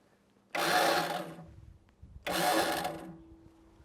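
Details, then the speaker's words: Old Snapper riding mower, choke on, electric start: two short whirring bursts about a second each with no firing; bad starter suspected, rainwater found trapped in engine. "right sounds like we have a bad starter but we do have a pull start back there so let's try"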